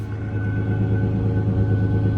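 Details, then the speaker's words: 2011 Ford Ranger 4.0-litre V6 at auction, high mileage, owner thinks timing chains may be due: steady deep exhaust rumble with even beat and no knocks, ticks or misses; engine runs smoothly. "Gosh, this engine does sound smooth, guys. It does sound smooth."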